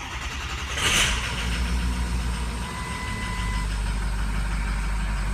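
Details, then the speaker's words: 2006 truck, 158,000 miles, diesel with ICP and injectors, cold start at 68 degrees: cranks, roars, then lumpy uneven idle, running real bad; scan data shows cylinder 3 weak, also 1 and 6, number 3 harness suspected. "Hey, I know you can't hear anything. It's running real bad."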